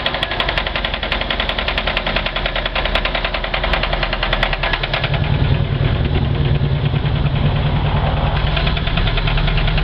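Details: Mercruiser 3.0 liter marine engine at idle during winterization, running with a steady, fairly regular knock over its low rumble; it has knocked like this for three years and still runs.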